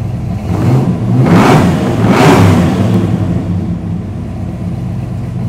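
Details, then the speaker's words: 1973 Chrysler Newport Custom big block 400 with Holley carb, started after sitting three months in winter: deep V8 rumble climbs through two strong blips and settles to a steady, crisp idle; normal revving, healthy. "sounds so good she's already ready for the next season you know"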